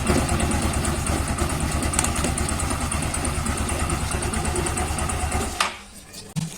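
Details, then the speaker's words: Yamaha Xeon CVT scooter that ran noisy after a wrong one-way starter clutch was fitted, now with the correct part: even low putter at idle with no rattle, then clean shutoff; noise gone, normal idle. "Wah, suaranya hilang. Ah, tidak ada lagi suara berisik."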